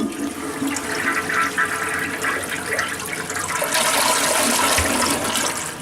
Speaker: you it actually has the power to uh flush stuff instead of just basically spinning turds around in the bowl